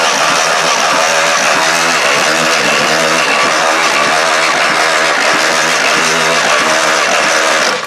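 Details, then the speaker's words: Demolition derby engine with low compression (about 120, over 180 expected) cranked with spark plugs out: an even starter spin with a repeating clatter every turn; owner suspects the head and plans to pull it. "Something's wrong with the head. Alright, we're going to pull the head off of this and see what it looks like in there."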